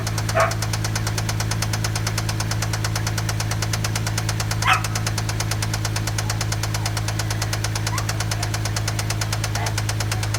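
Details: Toyota 1JZ-GE at idle: a rapid, steady metallic knock, a deep rhythmic rap from the bottom end. Spun rod bearing.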